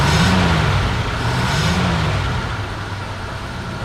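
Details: 1955 Buick Super petrol engine: cranked right up, even, steady note swelling smoothly under throttle with no knocks or misses; smoking a little at the rear. Normal running.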